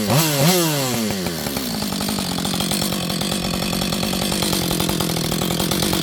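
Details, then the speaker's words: Auction-bought auto-tune chainsaw, not yet warm: after a couple of quick revs it settles into a fast idle with uneven popping and chugging pulses as the auto-tune adapts. Owner suspects it is running rich. "You'll hear this thing, it's kind of popping and farting. The auto-tune's trying to figure out what it needs to do."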